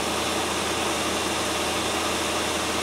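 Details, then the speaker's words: 1997 Land Rover Discovery 1 idling at about 1000 rpm, slightly high, steady even hum with no knocks or stumbles; a bit rattly at startup, now settled and healthy after the no-start fix. "still it doesn't sound too bad does it it was a bit rattly at startup but i expect that"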